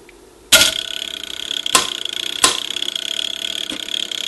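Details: Circa 1936 NuTone Series 1 Trinity 4-note long-tube door chime, clockwork-driven solenoids, bench-powered via push button during rebuild: crisp bright strikes about a second apart over fast ticking clockwork, ringing cleanly without double hits; working properly.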